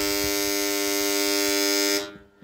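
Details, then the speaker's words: Submersible pump panel contactor (18 A, coil not seating): loud harsh electrical buzz that stops when pushed by hand; insect got inside keeping metal cores apart, fixed by opening and cleaning. "Kontaktörden niye bu kadar ses geliyor? Gördüğünüz gibi bobin kavuşmuyor. Yani bunun içine ya böcek girdi ya sinek girdi."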